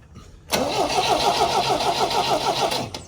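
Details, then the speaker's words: MG BGT stored about 20 years, first start attempt after fuel system cleaning: starter cranks about three beats a second with no catch; weak spark, points need cleaning. "Okay. Nothing yet. It's a spark. Not a great one."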